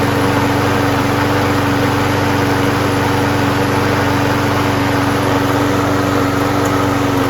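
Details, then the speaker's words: Craftsman self-propelled mower with a 6.5HP Briggs Quantum engine, a trash find with a cleaned carburetor, primed and running: steady, even drone with no surging or misfiring. Engine runs normally, but self-propulsion does not engage. "rest of it's fine so uh this is uh running and starting now"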